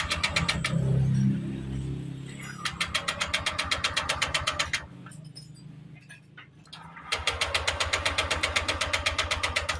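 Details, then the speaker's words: Honda Click 125i scooter idle for six months, check engine and thermostat lights on: starter turns the engine in even bursts about four turns a second but it never fires or catches; crank, no start, no spark. "yun yung naging problema ng motor ni boss ikot lang ng ikot Yung kanyang Magneto at Ayaw umandar Yung kanyang makina"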